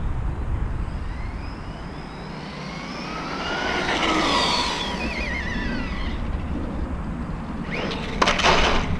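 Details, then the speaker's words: Arrma Outcast 4S BLX RC truck on 4S, first run after the slipper clutch was adjusted: loud motor whine rising and falling with each burst of throttle, louder than it should be and lacking torque; cause not identified. "I gotta figure out oh yeah he took the bat he is okay toe still gotta figure out what why is it so loud and why I don't have that that that that torque"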